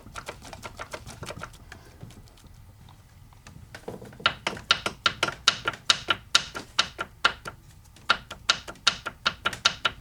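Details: 1982 Mercedes-Benz 240D OM616 diesel, 259,000 miles, engine turned by hand: sharp hollow clicks a few per second; piston slap, No. 3 piston skirt below gudgeon pin broken, pieces found in sump.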